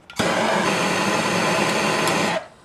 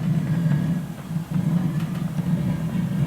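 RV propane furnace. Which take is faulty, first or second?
second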